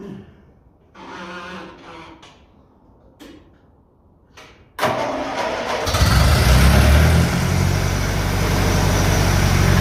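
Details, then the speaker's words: Engine on a cold day fitted with a 1956 Lucas D3A4 distributor, run briefly with no radiator or coolant; after a few quiet knocks it catches first try and settles into a steady, even low idle with no misses. "That's what I like. Stick a bit of metal onto an engine, make a few tweaks, and it comes to life."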